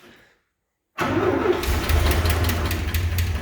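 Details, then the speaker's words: Old pickup with a 304/305 V6 that had never had an exhaust (it ended at the engine), now fitted with a new hot-rod exhaust. After install it catches and settles into a steady, deep, boat-like rumble, much quieter. "maybe not that's a lot quieter it does sound like a boat i told you"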